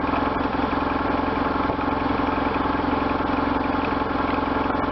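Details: 1998 BMW R1100RT boxer twin, first run after restoration, throttle bodies not yet tuned; steady, even thrum ticking over at an easy idle, pulses regular and clean, sounding healthy.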